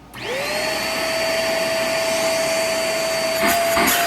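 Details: Shark or Hoover vacuum with motor, bin, hose and handle already checked; running with only the wand attached, the motor spins up fast to a steady, clean whine with even airflow rush, no strain or muffling; the wand is okay.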